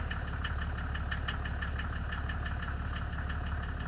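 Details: 1987 Mercedes W124 turbo diesel, 150k miles, cold start: loud, sharp, regular clatter over the idle rumble, harsher than normal; other owners suspect the first fuel injector knocking hard, unconfirmed. Smoke clears quickly once running.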